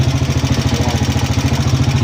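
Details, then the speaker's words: Motorcycle at idle: fast even pulsing idle with loose metallic rattle on each beat, like coins shaken inside; top-end clatter, source not yet found, repair planned next day. "Mga idol, sobrang ingay ng Malagitik. Malagitik ang motor ni Kuya."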